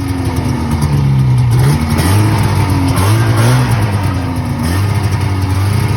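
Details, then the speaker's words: 1980 Yamaha Exciter SS440 snowmobile two-stroke, sat about 20 years, after carburetor cleaning: steady low burble with slight pitch wander, no knocks or misfires; idles and runs well. "and in that last part guys you saw this thing just sitting there idling doing its thing um and yeah this thing ran pretty good"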